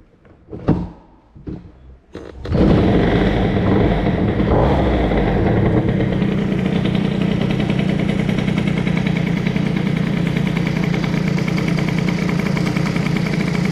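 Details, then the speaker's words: Bidalot RR cylinder (1mm spacer, 182/132) with prototype BOOST head (0.9mm squish, 14:1) on prepared stock cases, Doppler crank, 21 PHBG carb, Doppler Streetcup exhaust, MVT Premium ignition: first start without choke, a few sputters then steady healthy two-stroke idle. "Ça tourne pas mal. Maintenant, on va voir comment ça réagit."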